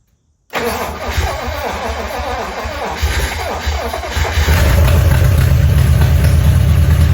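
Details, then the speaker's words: 1956 DeSoto Firedome that sat 24 years in a barn, first start in 15 years: cranks, catches and runs rough and low for seconds, then dies, starving for fuel; no fuel delivery despite a cleaned fuel pump; no lifter noise heard, no exhaust. "Still no fuel. But that that motor sounds good. I don't hear nothing."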